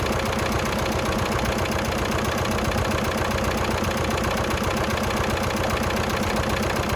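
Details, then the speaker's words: 1996 VW Passat TDI diesel just started, cold, muffler needed and alternator putting out only 11.87 V; steady idle with a light, even tick two or three times a second over the clatter; owner expects ticking to fade once warm. "well it's ticking pretty good but I think that'll go away once it gets some heat in it"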